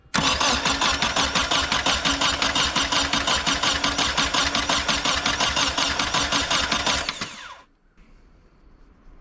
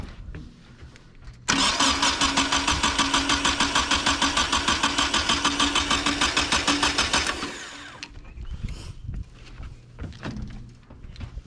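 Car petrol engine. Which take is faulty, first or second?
first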